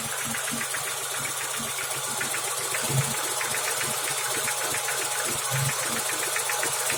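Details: BMW E34 at idle: quick, light steady knocking over smooth hum; owner suspects dead piston pin holding the connecting rod; engine knock, cause not confirmed.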